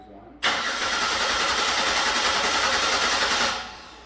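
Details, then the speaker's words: 2006 Buick Lucerne 3.8, died in shop after fuel line repairs, no codes: steady even cranking about three seconds with no firing; scan shows no crank, cam or injector signal; failed dual Hall-effect crank sensor, replaced. "Well, it's pretty obvious that there's no crank signal and no cam signal and no injector pulse width."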